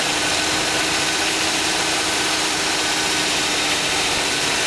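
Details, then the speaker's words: 2010 Hummer H3 Alpha with a 5.3L LH9 all-aluminum flex-fuel engine at 2,500 miles, fully warm after about an hour of running. A hard, diesel-like clatter under a steady hum is GM-diagnosed piston slap, worsening since 1,000 miles and not fading after startup. "This is the diagnostics of GM's piston slap. The vehicle has been running for approximately 1 hour."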